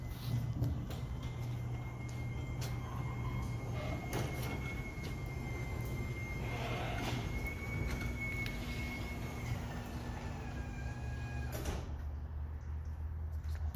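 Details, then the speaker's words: Motorised garage door rumbling as it travels, with a thin steady squeal that shifts pitch near the end. The squeak comes from dry joints; the fix is spraying garage door lubricant on all the joints. "In this video, we are going to describe you how to avoid squawking sound in garage doors."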